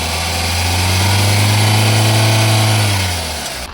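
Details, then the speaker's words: Used Hyundai Verna 1.6 SX VTVT petrol idling: steady, smooth low hum with no knocks, ticks or misfires, fading at the end; seller calls the engine excellent, with no gas or oil coming out. "బండి engine sound వినండి friends చాలా smooth గా excellent గా ఉంటది బండి engine అయితే"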